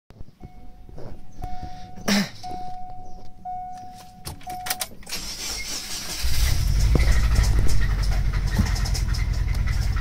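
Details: Subaru Legacy B4 EJ20 flat-four, bought cheap and blown after four months: warning chime, then the engine starts and runs rough with a heavy, rapid internal knock.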